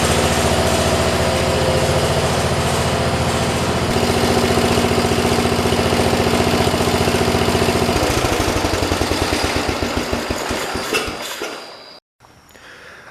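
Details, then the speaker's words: 1973 112 tractor with Kohler K301 single-cylinder after head gasket replacement and valve adjustment (8 and 17), running without air filter assembly or tins: steady, even beat, then winds down and shuts off cleanly; sounds healthy. "As you guys saw, you got to hear it shut off. It sounds pretty damn good."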